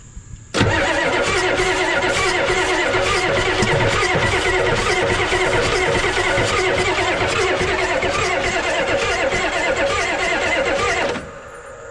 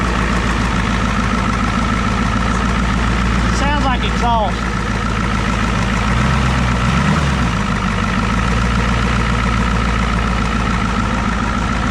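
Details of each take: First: 1988 Ford rollback diesel truck, sat about ten years: starter cranks steadily with even compression pulses for about ten seconds but never fires; injector leaking badly. Turning over is a good sign, cause otherwise unknown. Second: 1988 Ford rollback diesel truck that sat about ten years: loud, steady idle holding a constant beat without dying or hunting; running on its own again.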